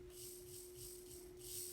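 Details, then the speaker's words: N scale Kato SD40-2 locomotive motor bench-tested on test leads during tune-up: steady clean hum at one even pitch with no scraping or catching; runs smoothly. "That sounds really good."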